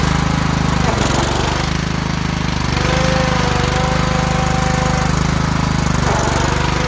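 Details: Kohler riding mower engine (the series with pumps on the side), starter zapped directly, throttle full up, deck belt missing: small single chugs at a steady rapid beat without stumbling and runs fine; thought to mainly need a starter solenoid.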